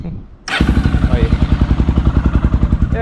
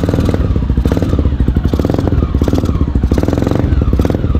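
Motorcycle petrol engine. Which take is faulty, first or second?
second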